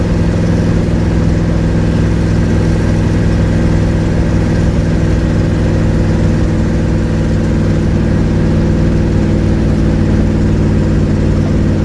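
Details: 1972 Ford Mustang driving home under way, phone on dash; loud steady low engine drone with raspy blatty edge: exhaust leak.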